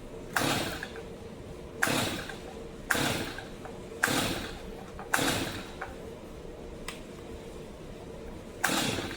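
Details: Brand-new, never-used Stihl MS 250 chainsaw, with the cylinder dried out and a new Bosch plug fitted, gives repeated pull-cord rasps about once a second at half choke with no firing. It cranks but won't start; cause not found.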